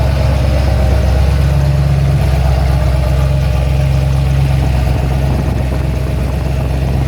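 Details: Ford XC GXL under restoration with a 351 V8, cold and warming up: a deep, even burble holding a steady idle with no ticks, knocks or stumbles. A normal idle.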